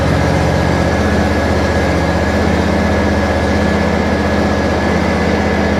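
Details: John Deere riding mower running after its solenoid was replaced: the engine holds a steady, even chug at constant speed with no misses or stumbles; normal running.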